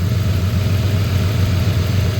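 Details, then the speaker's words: 1934 Ford with FiTech fuel injection: steady low idle with a slightly lumpy, uneven beat; at least a bad injector or bad wire to the injector; misfire from bad injector circuit. "So, it at least has a bad injector or a bad wire to the injector."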